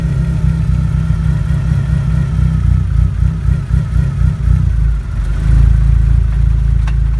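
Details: 1G DSM (Mitsubishi Eclipse/Talon/Laser): a deep, uneven rumble with a loose clatter under the engine, swelling toward the end, from the rear. The transmission is suspected but not confirmed.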